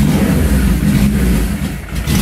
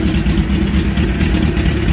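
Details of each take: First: Suzuki GS850G cafe racer with 4 carbs, cold start: four-cylinder catches and runs, revs surging and sagging unevenly while the choke is held. Idle not yet adjusted, so it needs choke when cold. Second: Suzuki GS850G cafe racer, cold, choke held by hand: smooth, even low rumble with a steady fast-idle beat, no knocks or misses. Normal cold idle on choke.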